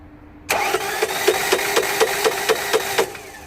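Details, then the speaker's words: 2009 Ford Mondeo 1.8 TDCi 125 hp diesel, no start: cranks with sharp uneven knocks and a ringing clank on each, never catching; starter engaging, previously misdiagnosed as electrical/PCM fault, engine mechanical problem. "right did that sound good no it didn't now the crank the starter motor is definitely engaging"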